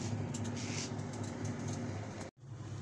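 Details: Whirlpool automatic washing machine that would not spin, after repair: a steady low rumble of the drum spinning at an even rate, no knocks or scraping; spinning normally and drawing 1.0 A.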